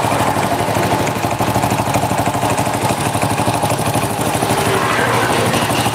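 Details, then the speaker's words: Honda Supra 100 (NF series) motorcycle engine, front engine area: rough idle with loud, fast diesel-like clatter on every firing pulse; engine rattle from excess crankshaft play, worn clutch housing also suspected. "oke eh step ini suaranya horor ya teman-teman untuk bagian sini untuk bagian mesin depan"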